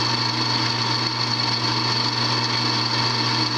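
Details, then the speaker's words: Drill press drilling 1/4 inch steel plate at its lowest setting, 250 rpm: steady motor hum with dense buzzy chatter from the drill press's loose cover rattling. "I think I don't know that my covers rattling on my drill crap hear that no more rattle just put up with it"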